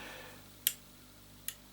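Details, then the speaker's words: Thunderpole T-800 Limited Edition CB radio being switched on, with a small power supply running nearby: two crisp clicks about a second apart over a faint hum, the normal power-on click. "a click when it comes on, and it shows you as you turn it on, shows you what band you've got it set in."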